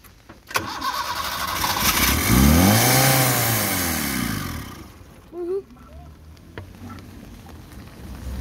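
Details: The starter cranks with a rising, then falling whir for several seconds, but the engine never fires. Crank, no start; the fuel pump is suspected, not confirmed.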